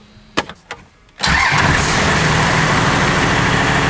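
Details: Cummins diesel swapped into a Chevy truck with NV4500 transmission, first run: a few clicks, then the engine catches at once and settles into a loud, steady diesel clatter; starts cleanly and runs evenly, alternator not yet charging.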